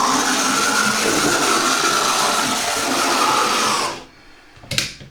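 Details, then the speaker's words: Second-hand Oxford Rail Class 415 Adams Radial 4-4-2T model locomotive at full speed before lubrication; loud steady high-pitched buzzing whir that cuts off abruptly; the motor runs fast but very noisily. "But it's very noisy."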